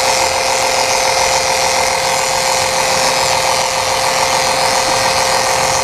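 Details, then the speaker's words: Electric transfer pump refilling transmission fluid in a 1990 Honda CRX transmission: steady even motor hum with constant high whir, no surging or rattles; pump running normally under load. "Okay, so I set it all up, and now I'm gonna turn it on. I'm gonna start pumping in and see how this is gonna work."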